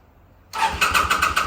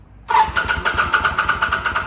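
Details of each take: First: 2005 Kawasaki VN800C, about 130,000 km, off the road since about 2015: quick, even starter-cranking pulses about eight a second with no firing yet, on a recharged battery and fresh petrol; slow to catch after long storage. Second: 2005 Kawasaki VN800C V-twin, about 130,000 km, first start after storage since about 2015 on fresh petrol: catches and settles into a steady, lumpy idle with an even beat and one brief stumble; sounds healthy.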